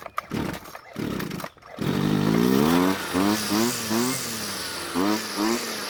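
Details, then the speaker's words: Warm Jonsered two-stroke string trimmer on fresh fuel, following hot-start instructions: several raspy pull-cord tugs, then it catches and revs unevenly before settling; hard hot starting from an over-rich low-speed mixture. "as you just saw it took several pulls to get it to start up again but the idle seems to be better but who knows for how long"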